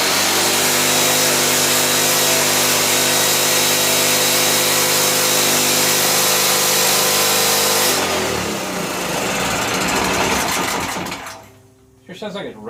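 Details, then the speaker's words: Powerwise 3500 W (3000 W rated) 120/240 V generator, first run after repairing a carburetor with a broken jet, linkage not yet connected: a steady, very high screaming pitch with no hunting. The engine is overspeeding because the governor gives no action. "too fast yeah the uh do some looking here maybe somebody is a mess with the governor well gang this is a disappointment actually um the governor's not working there is no action from the governor"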